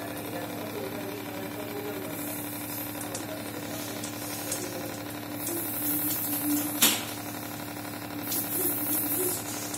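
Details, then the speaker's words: Reverse osmosis water purifier with booster pump: steady low buzz while running, from the outlet pipe and a loose part vibrating. "जैसे कि आपने सुना होगा आवाज आ रही है वटर प्यूरीफायर में तो इस वटर प्यूरीफायर को य जो आवाज आ रहा है इसको कैसे कम किया जा स है"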